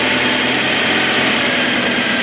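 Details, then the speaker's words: 1978 Mitsubishi Colt Sapporo RWD coupe, first start after sitting since 1993, running off choke without fuel or air filter: even, steady idle with constant hiss, no misses or knocks, no vibration; normal smooth idle. "wow that's pretty good that's really good isn't it how nice is that look no vibration at all with no fuel filter on it and air filter"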